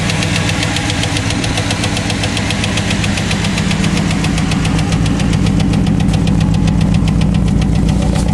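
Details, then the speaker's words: Chevrolet Cavalier at idle after fitting a used starter: sharp regular ticks, about four a second, from the front of the engine; owner suspects worn hydraulic lifters and plans to replace them; muffler also needs fixing. "everybody seems to be running fine it's just the uh the ticking in the front and I'm going to replace those those uh lifters"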